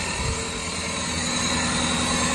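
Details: 1999 Toyota Camry 2.2L four-cylinder after fixing two separate causes of cylinder 1 and 2 misfires (P0300-P0302) that made it run very rough: even idle, steady hum, no stumbles, skips or knocks.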